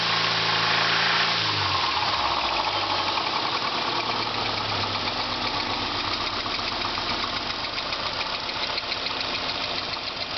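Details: 2000 Subaru Legacy GT engine running with a steady rapid deep bottom-end knock, about three or four a second, over a hissy background; owner suspects rod knock, and the engine later blew up.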